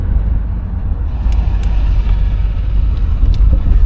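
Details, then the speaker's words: 1986 Chevrolet Monte Carlo SS T-top, 305 V8, about half throttle, driving over a big dip: steady road rumble with no clunks, exhaust rattle or window buzz in the doors; suspension tight, car solid. "That's our little big dip right there. Again, no looseness in the suspension. I don't hear the exhaust rattling, or anything like that, or the windows either."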